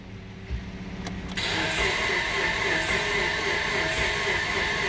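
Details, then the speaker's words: Mitsubishi Lancer towed in after overheating, cranking with the fuel pump fuse removed for a relative compression test: a click, then steady, somewhat laboured cranking at about four beats a second. Slow cranking from a weak battery. "battery's a little bit weak on this but we're still going to be able to get what we want to see"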